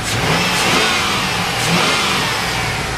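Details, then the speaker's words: 2001 Chevrolet Silverado V8 just after head gasket replacement, coolant topped off and good oil pressure: revs up and settles back smoothly with an even exhaust note, no ticks or knocks. Normal revving. "she's running real good real smooth I don't hear no ticks no knocks anything like that she rubs right up"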